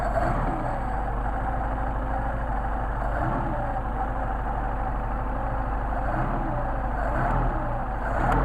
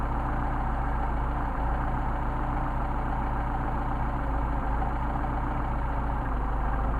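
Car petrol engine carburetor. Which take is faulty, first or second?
second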